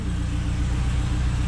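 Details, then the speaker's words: Honda K20 engine swapped into an MR2, just after its first-ever start in the garage: low, steady, even idle, nice and quiet, with no misses, knocks or ticks; normal idle. "All right, guys, this thing sounds good. Nice and quiet. All right, so we are started. It does start."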